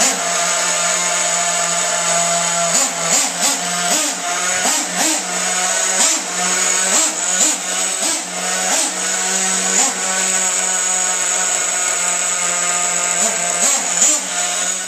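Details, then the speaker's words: Losi 810 nitro RC buggy engine, clutch bell disengaged and idle stop fine: fast, buzzy, vacuum-cleaner-like idle with brief wavering surges, worsening as it warms. Owner suspects an air leak, possibly in the fuel pressure system. "it just sounds like it has a leak let's take a listen listen for the high idle in a second"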